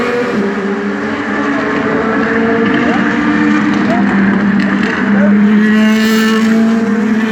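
Loud race V8 holding high revs, the exhaust note breaking into an uneven, stuttering beat that points to a misfire.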